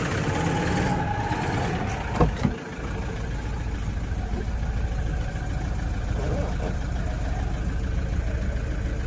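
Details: Toyota 1KD diesel SUV: loose, uneven rattle of about two taps a second riding over the low idle clatter. Engine rattle, cause not clear.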